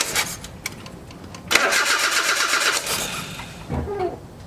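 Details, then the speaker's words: 1982 Nissan 720 King Cab mini truck, carbureted, sitting untouched for many years: long cranking, then a brief ragged, uneven catch that dies out and floods, with the carburetor floats definitely stuck, causing hard starting. "it starts running out i guess i'll let it fill up again and uh we'll recrank it but the floats they are definitely stuck so let's just see what it does"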